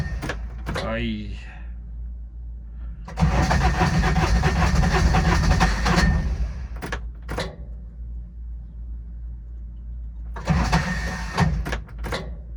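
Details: Older Intimidator diesel UTV in park with a touch of throttle, cold: two long spells of slow, labouring cranking, refuses to catch; owner blames worn starter bendix and suspects faulty glow plugs; larger battery fitted.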